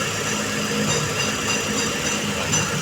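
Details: 2003 Hyundai Trajet DOHC manual idling after alternator refit and belt tensioning: steady, even idle with light hiss, no knocks or misses; battery warning light gone, charging being checked with multimeter.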